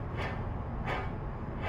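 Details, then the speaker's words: Mazda Miata front wheel bearing/hub, owner reports roaring on left turns from the right front, spun by hand off the car: dry gritty rumble swelling about every 0.7 seconds. Rough wheel bearing. "this just sounds rough"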